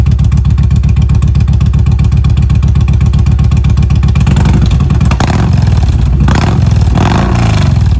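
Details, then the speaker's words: 2016 Kawasaki Vulcan 1700 V-twin, cold start warming before an oil change: deep, even lope at idle, then clean throttle blips rising and falling smoothly through throaty exhaust; normal cold start and revving. "You guys can hear this exhaust. He's got a pretty nice exhaust on this thing. All right, you settle down a little bit. Let's give her some rev."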